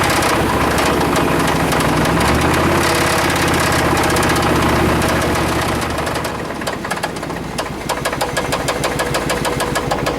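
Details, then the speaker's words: Suburban engine after new plugs, wires, cap, rotor, cleaned EGR and new brake booster: steady knock about three per second with a faint squeak, squeak lessening with driver side checked; source unconfirmed, valve cover removal next. "I can still hear the squeak it's just not as bad so it looks like a next step is to take the bve cover off and take a look"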